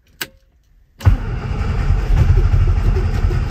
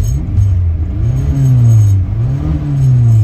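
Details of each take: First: 1967 Austin Cooper S not started since 2014, with spark and fuel confirmed and choke pulled: quick crank, then the engine catches and runs unevenly, revs swelling and sagging, a stale engine clearing up. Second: 1967 Austin Cooper S revived after eight years, on test drive around 45 mph, temperature rising, oil pressure good: deep engine note rising and falling smoothly with no misses or knocks, revving cleanly as the valves clean up.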